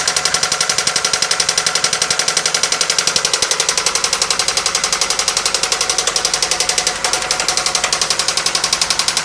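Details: 1997 Toyota Camry engine idling the day after it cut out repeatedly while driving: sharp, very regular metallic knock about two per second over a rough idle; head gasket failure suspected, cause unconfirmed.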